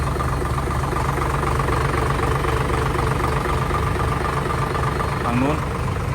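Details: Hino J08C truck, 210 hp, inline-pump diesel, started easily: steady, even diesel clatter at constant idle with no knocks or misses; normal healthy idle.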